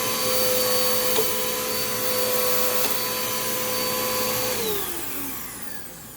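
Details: Dirt Devil Quick-Lite Cyclonic UD20020 vacuum, about 10 years old, after service with the brushroll fine: a smooth, even motor whir at a steady pitch, then a clean falling spin-down at switch-off; running healthy.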